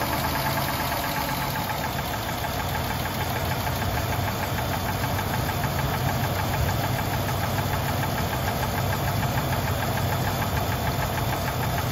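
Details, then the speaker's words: Engine with 190,000 miles, after an oil change with one quart of Lucas Oil Stabilizer, idles roughly with lifter ticking about three beats a second over a deeper top-end knock; the owner says the tick is now very faint. "i can still hear it but that's very very faint"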